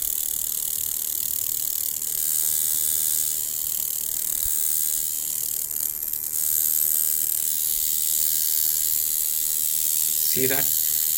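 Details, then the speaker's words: Coil tattoo machine running at about 4 volts before tuning: a high, raspy, rattling buzz with a harsh, strong, uneven hit instead of a smooth sound, because the machine is out of tune. "it's out of tune the minute i change the angle that sounds different the sound is very very harsh and it's actually quite strong the hit is really strong and you can hear the difference it's not a smooth sweet sound"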